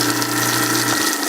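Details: Garbage disposal at a rental house after freeing a stuck unit and restoring the circuit breaker, cold water running: steady even motor hum with no grinding, catching or stalling; spins freely, then shuts off.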